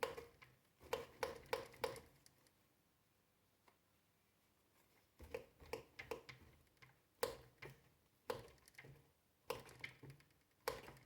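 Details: Manitou Mastodon Comp fatbike fork, a few months old, about 500 km: sharp ringing metallic knocks when hand-pumped with the compression damper semi or fully closed; not reproducible fully open by hand, but present riding rough terrain.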